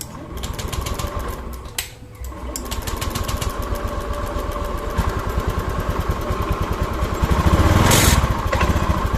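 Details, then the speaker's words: Honda Beat FI scooter with ECU error, fuel pump wired via test jumper bypassing the ECU so it runs continuously: single-cylinder engine settles into a steady even putter with no misses or knocks; normal idle. "ya untuk mesinnya dia meskipun dia kontaknya di on kan dia tetap hidup mesti dimatikan baru dia mati itu dia hidup terus ya"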